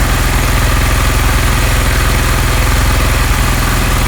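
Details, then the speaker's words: Honda CD 70 single-cylinder carburettor mixture adjustment: quick steady beat at the highest idle as the mixture screw reaches the point of loudest sound; loosening further lowers the idle speed. "अच्छा ये देखिए इस point पर आके मुझे feel हो रहा है कि सबसे ज़्यादा बाइक की आवाज़ आ रही है। जैसे ही मैं इसको मज़ीद लूज़ कर रहा हूँ तो बाइक आगे से जो रेस है वो कम हो रही है।"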